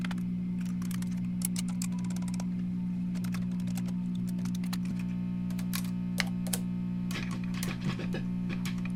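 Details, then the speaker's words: 1966 Fender Deluxe Reverb guitar amp, intermittent hum plus crackling: steady low mains hum with scratchy clicks while chassis is probed; cause is a broken solder joint on the bias supply filter capacitor, leaving unfiltered half-wave rectifier DC ripple. "Here it is, a broken solder joint. This is the bias power supply filter capacitor. The hum that we are hearing is DC ripple produced by this half-wave rectifier circuit without a filter capacitor to smooth it out."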